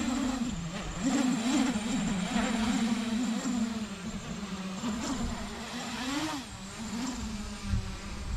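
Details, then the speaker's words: 8-inch FPV drone test-flown with P gains raised to 75: the propeller tone wavers and warbles up and down in flight instead of holding steady, an oscillation showing the P gains are too high. "so this is a sign that the p gains are too high"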